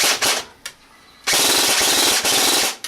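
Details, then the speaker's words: G&G AK-47 airsoft gun, bought for wiring faults and rewired with a home-built MOSFET, on an 11 V LiPo: two quick full-auto bursts with fast, even chatter; a higher rate than before, cycling normally. "yeah, that sped that shit up. Yes it did. Yes it did."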